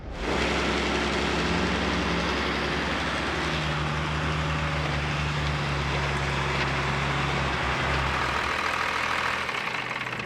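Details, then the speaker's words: Cummins 12-valve diesel swapped into a Ford, rebuilt from a yard engine with junk dump injectors and turbo, 60,000 km since: deep, steady, even idle clatter with no misses or knocks; sounds healthy. "now it's got 60,000 clicks on it yeah it sounds good"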